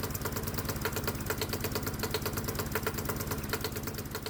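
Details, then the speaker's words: Hot-bulb semi-diesel lawnmower single, spark plug disconnected, switched from a 50/50 vegetable oil and gasoline mix to pure vegetable oil: uneven thumping at about three beats a second that stumbles and misses; oil too thick to atomize properly. "And I think that was way too much. The engine doesn't sound happy. So yeah, the engine will definitely run on a 50-50 mix, but it won't run on 100% vegetable oil for a number of reasons"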